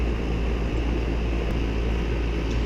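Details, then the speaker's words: Duquesne R-410A condensing unit that was not cooling after another company's work, after correcting the refrigerant charge (20° superheat, head pressure below 400, subcooling below 30): a steady low compressor and fan hum with no knocks, rattles or squeals. It is running normally. "System's just performing much better all around. So I'm happy with that."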